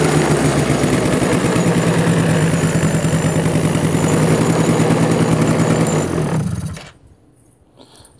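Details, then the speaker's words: Cobra Chinese quad, one-kick start after the kickstart was adjusted, carburetor cleaned: small single putters at a fairly steady idle for about six seconds, then shuts off; runs decently with no misses, normal idle. "but as you can hear and see it's a one kick wonder it seems to run halfway decent"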